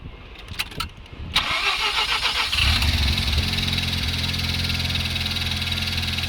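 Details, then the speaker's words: 1992 Mazda RX-7 FD3S rotary in Japan, after good compression test and new OEM spark plugs and plug wires; brief cranking catches first try and settles into a steady, even idle with no misfire or stumble. "First try. So again, can't see it now, but brand new OEM spark plugs and plug wires. So nice and happy."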